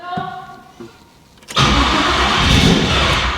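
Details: Monte Carlo with a newly built engine on its first start: the starter cranks steadily with a loud, even churn but the engine never fires or catches. Owner suspects it needs more ignition timing; oil pressure does come up while cranking.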